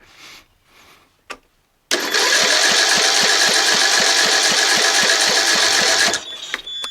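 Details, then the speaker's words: John Deere L100 lawn tractor, 17 HP Briggs Intek OHV, pulse hose removed from the fuel pump while cranking to feel suction: even chugging about four beats a second, never fires; owner suspects weak fuel pump pulse, unconfirmed. "so basically I'm gonna just take this hose off this hoses from the pulse over here right I'm gonna crank it and see if I feel it's sucking"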